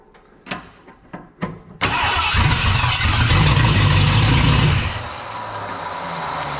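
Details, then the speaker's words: 1979 Ford F250 4x4 Sno-Fighter parked since 1986, with a powertrain sitting since 2016, no fuel tank hooked up: slow cranking thumps, then fires and roars about three seconds on starting fluid spray before fading. Catches briefly on starting fluid. "so it clearly wants to go obviously I'm doing a horrible job of this I think I'm probably going to call that it"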